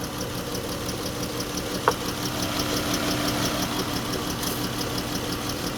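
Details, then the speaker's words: Dodge Chrysler minivan, 134,000 miles, severely overheated after being driven with a coolant leak; idle with an uneven stumbling beat and faint ticks about three a second: misfire, oil cooler leaking coolant. "Why am I shaking? I got a misfire somewhere, guys."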